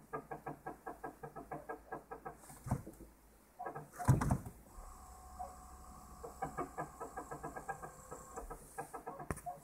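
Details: Toyota Prius (second generation) brakes: rhythmic chirping squeaks about four per second, repeating with wheel rotation with brief pauses; brake squeak, cause unknown.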